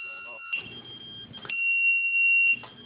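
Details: Loud, steady high-pitched beep lasting about a second and repeating after pauses. A lost-model beeper alarm in an RC plane, plugged between the rudder servo and receiver, sounds after 60 seconds without servo movement and stops when the rudder moves.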